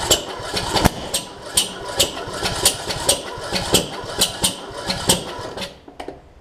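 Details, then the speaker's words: John Deere D110 mower after an engine rebuild and block swap (original fault a detached flywheel magnet), carb spray added: slow, uneven cranking with hard jerky thumps and kickback, never firing; owner suspects ignition timing is off. "i was hoping that doing a block swap would work but apparently it's it's like it sounds like it's off timing or something and i hope that's not the case"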